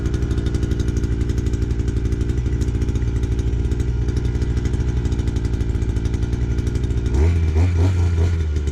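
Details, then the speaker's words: Two-stroke brush cutter run on four-stroke fuel with some makeshift oil added, usually hard to start: fast even buzzing beat at steady pitch, no misses or surging. Normal running. "This tends to be a little bit hard to start, but once it's started, it runs all right."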